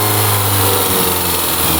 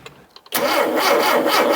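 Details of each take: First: Barn-find Mini Cooper with the accessory belt cut off because the alternator is seized solid (water pump free, oil pressure light goes out): petrol engine runs fairly evenly with a busy mechanical clatter, picks up briefly on throttle, then drops away. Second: Barn-find Mini Cooper with SU carburettor, parked for years after 10 years of use, primed with a little fuel from an aerosol cap: near silence, then it catches abruptly with a rough, rising roar; first start after long storage.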